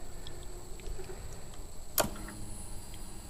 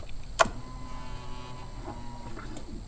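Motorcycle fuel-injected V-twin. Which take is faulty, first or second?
second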